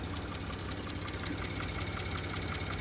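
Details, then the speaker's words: Porsche Cayenne 2.9/3.0 L engine, about 53,000 miles, no engine light, at idle: light, fairly even ticking about 160 per minute over steady idle; rocker arm noise suspected from bank 2 (UK passenger side), not confirmed. "the owner did send me few videos on WhatsApp with the noise and I think from all the experience what we have with these cars it's uh rocker arm noise so to me is more coming from bank 2 which is a passenger side in the UK"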